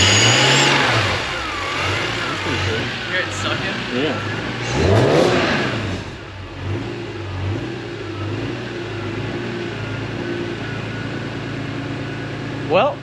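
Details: BMW E46 M3, first startup after installing a Turner Motorsport CSL carbon airbox with MAP sensor conversion and modified ECU: fires promptly into a steady, even idle with a crisp exhaust note. Starts and runs properly.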